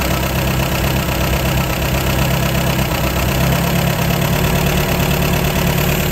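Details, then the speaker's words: 1953 MG TD after engine teardown, during SU carburettor tuning with jets set two turns down: a steady, slightly fast, even idle that shifts a little when the piston is lifted; both carburettors are too lean. "so we know we're too lean there we're also too lean there"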